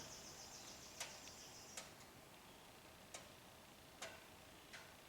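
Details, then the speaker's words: 2017 Subaru Outback with parasitic battery drain and power window fault: faint sharp clicks roughly one a second from driver door, current jumping to 12 A then back to 1 A; driver-side door module suspected staying awake. "there you go you hear the click 12 amps and it clipped off back to one amp"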